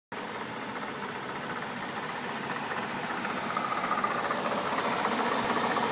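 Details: BMW N62B48 V8 idling: steady light clicking, nearly four a second. Failed water pump.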